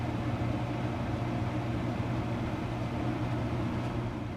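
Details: Homemade workshop heater (repaired after last year's failure), fan switched on after coils warmed from hot-water tank and heating elements: steady, even low hum with no rattles, scrapes or wobble; fan spinning smoothly, normal operation.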